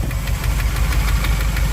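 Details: 1959 Chevy El Camino, after repairs, hot, with steaming from a holed exhaust and oil back in the coolant: heavy, regular bottom-end knock at idle. Knock cause unconfirmed.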